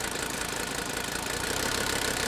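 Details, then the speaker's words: Old Mercedes-Benz diesel after the number 3 injector was removed for a cold compression test and reinstalled: clatter slightly off idle with an uneven beat and a regularly dropped firing pulse. The cylinder still misfires, only slightly improved. "Okay, we still got a miss right there. You can hear it. See that? It's trying to fire right in there."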